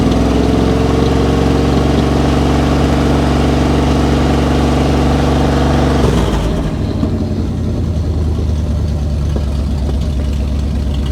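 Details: Dodge Adventurer 4x4 that hadn't run in 10 years, gravity-fed fuel after priming wouldn't draw it up the hose: engine catches and settles into a steady, even idle with a low rhythmic exhaust beat, running on its own; normal idle.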